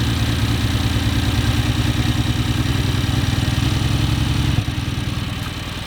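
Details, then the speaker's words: BMW F80 M3 heard at a pre-purchase inspection: uneven, lumpy idle loping about three beats a second with no clean steady beat. Compression issues were later found, leading to a motor swap, so this is low compression. "dude, she sounds pretty rough. I don't know, I know you wanted 20 grand, but like I don't think I can afford to pay that, just seeing as that it sounds like we're gonna have to put a motor in this thing."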